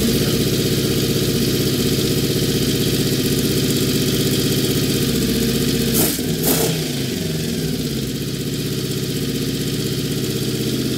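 The V4 sits at a fast, steady idle and never drops to a slow tick-over; the carbs are badly out of sync with one throttle held open.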